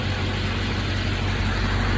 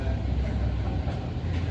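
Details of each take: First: 1971 Chevy C10 with a Duramax diesel swap, first start after rewiring and fixing misplaced grounds, with a broken injector return line T: steady, even low diesel rumble at idle, no misses or knocks; smoking heavily, leaking transmission fluid. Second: 1971 Chevy C10 with a swapped-in Duramax diesel: deep, steady churning as it turns over but never catches; crank-no-start, likely out of fuel after the fuel filters and lines were left loose; grounds later found misplaced.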